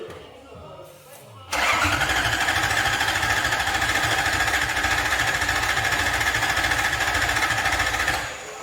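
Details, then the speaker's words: Lexus IS200 with a swapped Toyota 1UZ V8 on an ECU Master harness and ECU, first start attempt: steady cranking about 3.5 turns a second for several seconds, never catching. Crank, no start, no spark. "Pas d'allumage. Ah ouais? Mais sinon, j'aurais pété, non?"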